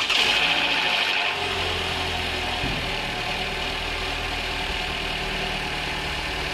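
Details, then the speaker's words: High-mileage Toyota engine over 300,000 km with sludge and stretched service intervals, after engine flush: brief harsh top-end clatter on startup, then steady even idle once oil circulates; top-end noise greatly reduced. "And as you can hear there, there's been a massive difference in the noise on the top end of this. It's completely reduced it."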